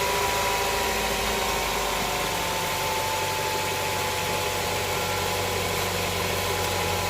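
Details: Honda Prelude SH, started after replacing the oil cooler/adapter gasket to check for leaks: steady, even idle hum with no knocks or ticks over a continuous background; normal idle.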